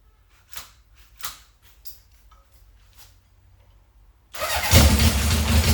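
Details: 1978 Honda CB750 K8, first start after starting and ignition troubleshooting, carburetor refitted, booster on the battery and a temporary fuel supply: a few quiet clicks, then it fires into a lumpy but running idle with a low steady exhaust beat.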